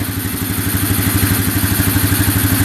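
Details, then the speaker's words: 2011 Polaris Phoenix 200cc ATV after reconnecting a missing ignition ground wire, which the owner thinks caused no spark: even, regular thumping idle with a steady low beat, no stumbles or rattles; fired up instantly. "so yeah now it's running great that fired right up like"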